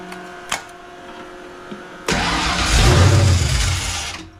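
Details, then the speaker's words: Foxbody convertible with a reassembled carburetor: it cranks, catches and runs rough for about two seconds, then fades out and dies instead of idling. It starts on the choke, and the owner suspects something plugged in the carburetor's mid-range circuit. "so I think we've determined it's the carburetor starts with the choke but there's got to be something plugged in the mid-range"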